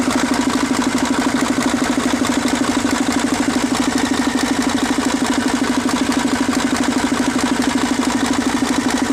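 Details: Mercedes-Benz 1841 diesel truck with a hard-starting fuel line problem: steady, even diesel clatter at constant idle with a firm regular beat and no misses or stumbles; normal idle.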